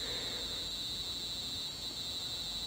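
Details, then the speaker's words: Arduino UNO alarm clock with a 5V buzzer: continuous high-pitched buzz near 4 kHz, steady and unbroken until it cuts off after the set 1 minute, with an LED blinking; the alarm sounds as it should. "There you go, you heard the alarm go off after 1 minute."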